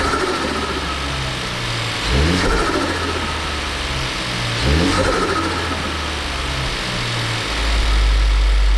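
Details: Ford Focus III ST 2.0 EcoBoost 250 hp after repair of low compression from a damaged piston: a few light throttle blips rising and settling back, then a steady even idle with no misfire; engine runs normally.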